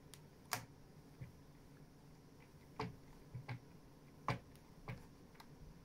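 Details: Fanatec CSL DD wheel base with quick release: sharp isolated clicks about once per second on sharp steering reversals, also with round VRS rim, less with plastic WRC rim; cause unclear.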